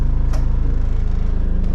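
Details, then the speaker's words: Motorhome on its first start-up, heard from inside: fast, even low chatter of loose fittings and items without rubbers yet rattling against each other, engine barely audible over the rattles; interior rattles, not an engine fault. "I don't know if you hear it, but it's just basically stuff that is rattling against each other. But I can tell you something, is I hardly hear the engine. It's just the rattles of everything that doesn't have rubbers or anything yet."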